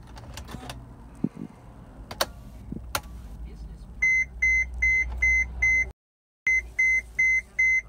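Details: 2017 Sprinter 2500 4x4, about 9,990 miles, intermittent no-start: no cranking, only clicks then a train of sharp high beeps about two a second; dealer could not reproduce it, cause unknown.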